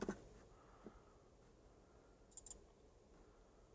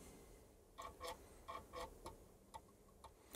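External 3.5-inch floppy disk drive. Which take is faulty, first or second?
second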